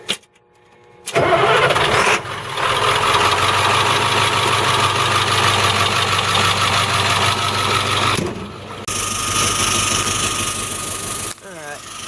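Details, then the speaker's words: International RE300 school bus, 7.3 International T444E diesel, starts and idles with a constant loud hiss of escaping air; the air dryer purge valve is hung open, oily and nasty, and no air pressure builds after about 10 minutes running. "it's from the purge valve so mine's hung open and it's really oily and nasty looking so it's no wonder why it is like that"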